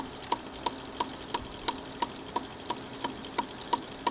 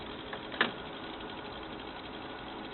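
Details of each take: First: Frameworks ball lift lower pulley wheel knocking with sharp, even knocks about three a second over a low running hum; the pulley's bearings are going out, and the knock comes from inside the bearing rather than the wheel hitting its housing. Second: Frameworks ball lift after the lower pulley wheel with worn, knocking bearings was replaced: even, quiet running hum with only one light tick early on and no knocking; the repair worked.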